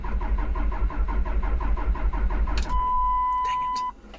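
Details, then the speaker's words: Dodge Ram third-gen Cummins Mega Cab, TIPM cleaned and reset, battery terminals tightened, fuel present: steady starter cranking about three beats a second never catches, warning chime and flashing check engine light; crank no start, bad TIPM suspected. "still nothing still a flashing check engine light"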